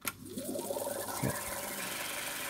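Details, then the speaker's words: 1960s Brenell Mark 5 Series 2 valve reel-to-reel tape recorder, just reassembled, unused for years, valves warming up. Fast forward: smooth whirr of reels winding up to speed, then brakes stop them cleanly and quickly, no tape spillage; wind and brakes healthy. "love that noise yep break's all right no spillage that's good look at that silky smooth and fast perfect"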